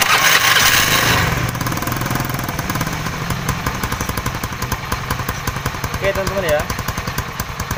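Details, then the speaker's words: Honda Beat carburetor scooter with a squealing CVT, tested after reassembling the starter pinion; small engine pulsing evenly through idle and light revs with no squeal, which came from a loose, dry part now fixed; normal CVT running. "di sini untuk suara decitan yang tadi hilang sudah hilang ya enggak ada suara berdicit"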